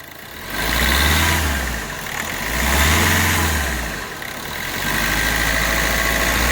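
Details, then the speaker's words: 2012 Hyundai Verna Fluidic after ECM repair fixing cylinder 3 injector circuit fault: engine revved three times, swelling cleanly roughly every two seconds and settling back with no misses or knock. "ਲਓ ਜੀ ਤੁਸੀਂ ਦੇਖ ਸਕਦੇ ਹੋ ਜਿਹੜੀ engine ਦੀ knocking ਆ ਬਿਲਕੁਲ ਖਤਮ ਹੋ ਗਈ ਤੇ ਗੱਡੀ ਹੋ ਗਈ ਬਿਲਕੁਲ ਓਕੇ"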